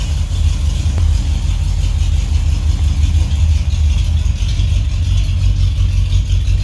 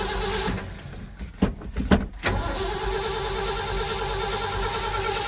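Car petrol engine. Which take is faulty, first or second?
second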